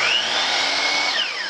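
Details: DeWalt DWS779 12-inch 15-amp sliding compound miter saw with the XPS light upgrade, running. A strong, steady high whine at full speed, then a smooth, even drop in pitch as it coasts down; the motor runs healthy.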